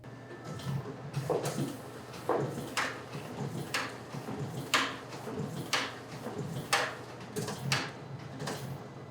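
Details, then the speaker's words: Riso (Risograph) printer set to line mode and master making, transferring the image onto the drum after pressing start; soft sliding swishes and clunks about once a second in a quiet room, normal master-making cycle. "So the master is the process of getting the image from the glass or from the computer onto the drum. So I'm going to make sure this is set to master making, and then I'm just going to hit start. This will take a minute."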